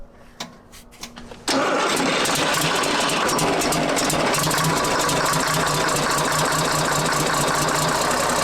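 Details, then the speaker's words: CAT 3306 diesel swapped into a 972G payloader, first start after the swap: brief crank, catches hard, and settles into a steady, even diesel clatter at idle; not smoking, a clean, healthy start. "that's not even smoking how's the oil pressure"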